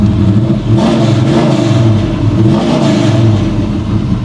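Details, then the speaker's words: First start after purchase of a 1994 Chevy C1500 with a carbureted 383 V8, 700R4 transmission and probably 3.73 gears: a deep, strong rumble that climbs and settles smoothly on throttle blips, with no knocks or ticks; healthy. "Okay. Um, holy crap, that sounds good. Wow. Not going to lie, I wasn't expecting that at all. Wow. Okay, she sounds mean."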